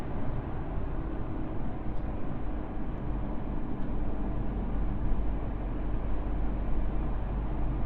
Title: alfa 159 2.4jtdm front wheel bearing sound, i replace and noise gone.